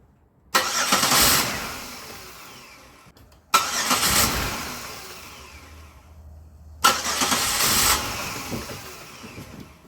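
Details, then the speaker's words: Vehicle towed in from another shop, tampered wiring and Dorman mass airflow sensor fitted: three starts, each catches, runs roughly about two seconds only with throttle held, then chokes and stalls; MAF signal stuck high. "So if you hold the accelerator pedal, it'll run, but then it'll want to choke up and stall."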